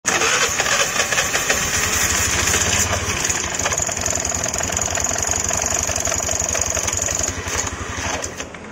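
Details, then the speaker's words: Honda Vario scooter idling: fast irregular rattle and thin scraping hiss from the CVT case, like something catching; cause was the kickstarter gear retaining wire come loose inside the CVT. "nah seperti ini tadi ya masalahnya jadi kayak ada yang nyangkut saat kita Nyalakan e di CVT Vario ini ya"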